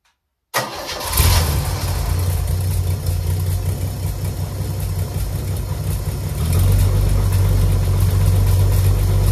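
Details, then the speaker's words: Chevy 250 inline six in a Willys build, first start, 2.5in stainless exhaust with MagnaFlow muffler, no water, in neutral, fan belt off: deep idle with rough puffing tick about four per second from a bad exhaust leak between the manifold halves; 40 psi oil pressure. "I've got a bad exhaust leak between the two parts of the intake but that's okay"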